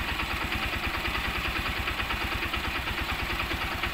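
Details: Honda CB125 single-cylinder after rebuild with new connecting rod and timing chain (previously noisy from loose timing chain, worn roller and damaged rod): steady, even idle pulse with no stray knocks; normal idle.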